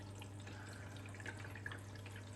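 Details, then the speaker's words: Blomberg RapidJET LWF194520QW 9 kg 1400 rpm washing machine, about a month old and 60 cycles in, on low water pressure: soft, steady hiss of water trickling in with a low hum and faint splashes; quiet, normal fill. "it does extremely quiet whenever it falls as you can hear"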